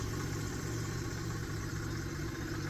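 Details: Yamaha jet ski with TR1 three-cylinder engine, replacement engine fitted, running on the trailer: low, steady idle with an even rumble, no knocks, misses or surging, a normal idle.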